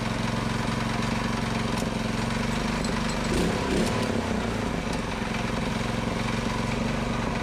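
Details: Predator 224cc Max Performance engine with milled, ported HEMI head and stainless valves, first run after rebuild, choke on: fast, even single-cylinder chatter at steady speed apart from a brief surge; running cleanly.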